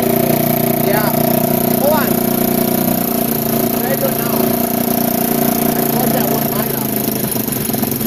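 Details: 1987 Kawasaki Mojave 250 ATV, neglected after long sitting, second start after tightening the manifold: single cylinder runs fast and flat, never dropping to a proper idle; the choke is missing and its port is plugged with a small orange plug, causing the high idle.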